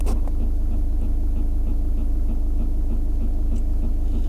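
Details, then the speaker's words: Skoda Rapid parked in a quiet spot, sound recorded at the dashboard: a steady croaking tak-tak, about three to four beats a second, like a frog stuck inside; source was unclear before teardown. "ऐसा लग रहा है कोई मेंडक अटका हुआ है यह इसी का रहेगा या फिर किसी मोटर का रहेगा वह चेक करने के बाद ही समझेगा"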